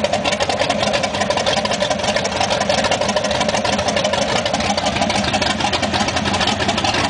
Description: Fixed plug wire from first video, but something still not right. Bit of ticking.